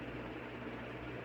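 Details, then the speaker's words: Newly installed Ventisol Fenix 3-blade ceiling fan, wall-switch controlled, at maximum speed in fan mode: soft steady hum and gentle air rush, no ticking, rubbing or wobble; runs quietly, normal. "Ó, essa é a essa é a velocidade máxima, tá? Do ventilador. Não tá fazendo tanto barulho, ó."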